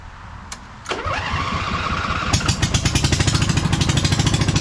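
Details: V-twin in a Lesco Viper 54" zero-turn mower, first start with a muffler on only one pipe: starter whirrs, it catches and runs steady and even, loud from the open pipe; healthy.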